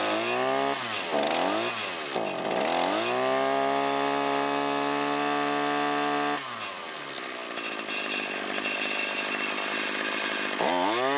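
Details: Shindaiwa T272X string trimmer, roughly 25–30 years old, test run after new piston and ring and rebuilt Walbro carburetor, 40:1 mix, half choke, full throttle; starts, revs cleanly, holds steady high buzz — normal running.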